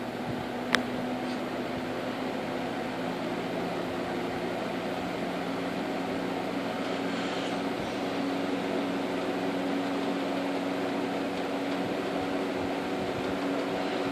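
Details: 1958 General Electric twin window/box fan with repainted cabinet; steady, even motor hum with a low resonant drone and faint whistle, the normal winding sound of these fans.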